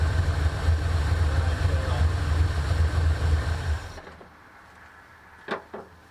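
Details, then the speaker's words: 1984 Mustang GT-350 20th Anniversary V8 after tune-up, with new plugs replacing a fouled one, likely number 3, that caused a miss: even, regular V8 burble at steady idle with no skips, then shuts off; normal idle. "Did you hear a miss? I didn't hear a miss. I didn't. I didn't hear a miss. Everything looks and sounds good."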